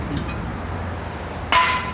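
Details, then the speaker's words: 2004 Toyota Sequoia upper rear chassis tube, rusted section trimmed out before welding: one sharp hammer strike rings clear and bright, holding a steady tone before fading; remaining tube metal is solid. "So that's pretty solid still."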